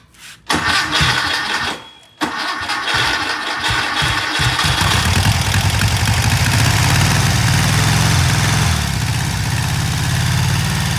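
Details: Freshly rebuilt VW Type 1 air-cooled engine from a Karmann Ghia, first start after timing adjusted at distributor (earlier died from timing way off): cranks briefly, catches second try, settles to steady even idle, no misses or knocks.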